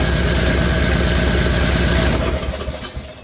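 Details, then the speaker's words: Free roadside riding mower, first crank on a new battery: quick, even starter chugging at about four beats a second that turns over with little resistance, then winds down; low compression suspected, not confirmed. "don't seem like it got much compression as easy as turning over"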